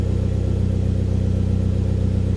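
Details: Hyundai Genesis Coupe automatic just after a new fuel pump install, with a slight high squeal heard at priming that has since gone. Smooth, even low rumble with a steady firing pulse and no squeal or miss; a healthy idle with no leaks.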